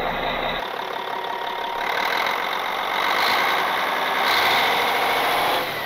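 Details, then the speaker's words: Cat 16H grader Caterpillar 3406C diesel, abandoned about a decade, just started with no ether after priming the pump, over 80 psi oil pressure. Deep, even clatter with no knocks or misses. Normal diesel running. "it started with no ether simple priming the pump had over 80 pounds of oil pressure"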